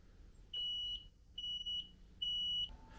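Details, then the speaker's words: Carbon monoxide alarm in a camper van with a Vevor 12V 2kW parking heater: three long, shrill high beeps in a repeating pattern, warning the heater may be leaking CO inside; shut the heater off, open up and get out. "Oui, c'est une alarme. D'accord. Et ça, c'est tout le temps activé? Et l'alarme, elle fait ce bruit-là."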